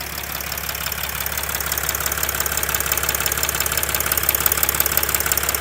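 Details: Mercedes R320 CDI with the OM642 3.0 V6 diesel at idle: a fast, fairly regular ticking knock, about three per second, over the diesel clatter; the cause is unknown.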